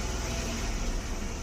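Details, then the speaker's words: Datsun Redi-GO with fault code P0313 and check light on: revs drop suddenly and the engine stumbles with an uneven low rumble when the accelerator is released, misfiring on cylinder 2; coil and fuel pump already replaced without fixing it. "अचानक से RPM down हो रहा है और accelerator छोड़ा है, miss firing कर रहा है। देख लीजिए कितना मिस फायरिंग कर रहा है। 2 नंबर इसका कॉइल काम नहीं कर रहा है,"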